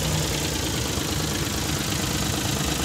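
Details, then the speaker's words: Hijet engine that had check light, misfire, vibration and no pickup, after setting timing marks and repair, idling: smooth, steady low rumble with no stumble or shake; misfire and vibration gone. "गाड़ी start हो गया set हो गई गाड़ी के अंदर जो missing ए रही थी वो भी देख सकता है खत्म हो गई वाइब्रेशन वगैरा"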